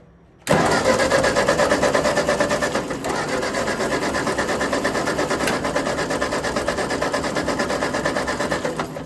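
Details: Ford 8N tractor after the carburetor was refitted with its float still sticking: the starter spins about three turns a second and the engine never catches. Carburetor still faulty; the Bendix isn't holding well.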